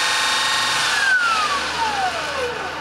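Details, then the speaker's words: Custom motor controller on electric bike (ME-1003 motor, ~80V LiFePO4), current still turned down very low (thought to be around 10 amps) so ramp rate is slow: clean electric whine dropping smoothly as the unloaded motor spins down, no grinding or stutter; responds well, normal. "we go she responds well"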